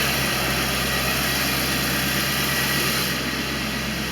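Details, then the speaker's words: 1989 Corvette roadster V8 after ignition module replacement and a fix for a loose plug, testing Bosch III injectors: steady smooth low idle rumble, no misses or stumbles, idling much smoother. "all this is normal she is iing so much smoother"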